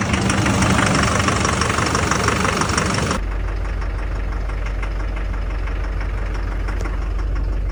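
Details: 2005 Duramax LLY diesel truck after fuse box damage and VATS disabled with HP Tuners, fixing a no-start: steady diesel idle clatter, about three even beats a second, no stumbling; starts and runs normally.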